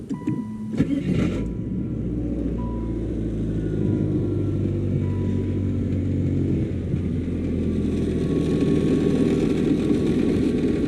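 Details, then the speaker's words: 1997 Saturn SL2 before engine and transmission mount replacement: engine starts and idles with loud loose rattling buzz over low hum, louder on passenger side; top passenger-side motor mount suspected, all four mounts being replaced. "let's give you a before start it up and it's loud it rattles pretty good in here"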